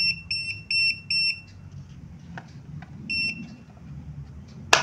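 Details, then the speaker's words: Smartcom 80mm Bluetooth label printer: loud high-pitched beeps in quick repeating groups of four, the error warning when the paper cover is opened while the printer is still powered on to change paper. "Nah kalau misalkan kalian pas posisinya masih nyala Kalian mau ganti kertas nanti error keluar suaranya gitu loh"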